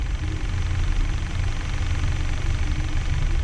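Even, low, steady rumble with no ticking or tapping over it; this gas-fuelled engine is idling smoothly and quietly.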